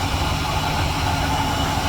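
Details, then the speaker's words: Car with the wheels spinning, microphone at the rear differential: a loud, steady drone with a rough metallic growl. The differential bearings are failing, probably after fluid leaked out; it appeared within 3,000 miles. "Now if I go to the differential, hopefully you can actually hear it, but it's really, really loud. This differential's bad. The bearings are going out of it."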